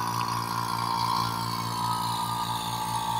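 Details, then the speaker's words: Vacuum pump evacuating the AC system of a 2007 Ford Expedition after compressor replacement, gauges hooked up and valves open; steady electric motor hum, even mid-pitched tone, no knocks or surging; running normally. "let this run for a few minutes and try to get some negative later"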